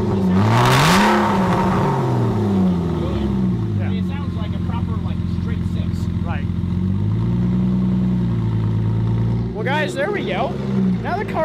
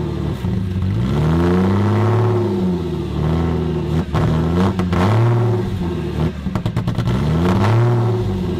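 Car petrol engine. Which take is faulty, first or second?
second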